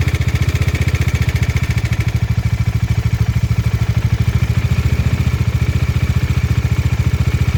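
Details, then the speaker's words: Bajaj Dominar 400 single-cylinder at idle before cam chain tensioner replacement: loud steady thump with light metallic chatter from a slack cam chain; the old tensioner showed excessive play. "Tensioner बदलवाने से पहले की engine noise."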